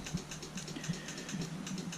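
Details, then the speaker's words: Single-speed four-wheeler with kick start, in neutral: quiet, irregular dry clicks with no cranking when the starter button is pressed. Owner suspects a bad connection or a failed starter; it did start by kick start with the choke on. "but for whatever reason it's not fully engaging it's probably a bad connection somewhere or it could be the starters just out"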